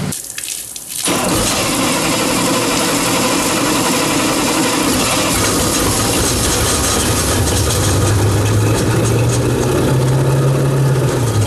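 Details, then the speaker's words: Shoal Runner jet boat engine first started after the boat filled with rainwater and was mothballed: it catches into a rough idle with an uneven knock around three per second. The owner says the crank sounds dry despite plenty of oil pressure; unconfirmed. "well that crank sounding awful dry that's what that is it's got plenty oil pressure i don't like the way it sounds"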